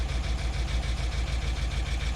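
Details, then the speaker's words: BMW E70 X5M V8, idling after an intake VANOS active test, misfires logged on cylinders 5, 6, 7, one bank: lumpy, uneven stumbling idle, sounds horrible; intake test makes it worse. "It sounds horrible now. Really bad. And it was after I did this."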